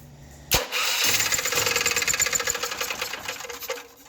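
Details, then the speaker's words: Champion generator used to run concrete drills, backfiring through the carb and exhaust with sharp pops. It then stumbles roughly before dying, and will only run on choke. Valves, carb, gaskets and fuel were checked; the cause was a faulty oil pressure sensor. "it's backfiring out the carb and backfiring out the exhaust and it doesn't want to run and only when it does one what it does it'll only do it with a choke on"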